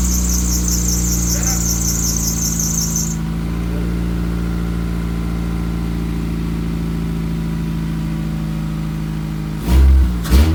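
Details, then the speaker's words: Honda Accord after head reinstall for misfire, first startup without priming, exhaust still unfixed so loud: steady idle with brief squeal from a belt needing tightening; runs with nice harmony, started first try, no oil leaks. "So the biggest thing is it had really nice harmony when rotating. Start up perfectly fine."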